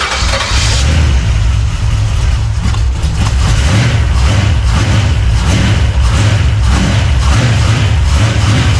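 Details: Fresh 383 stroker small-block V8 in a 1970 Monte Carlo, first fire-up in the car with locked timing and a 6AL box: deep, lumpy V8 catches and settles into a loud, steady, even lope, no knocks; healthy first start.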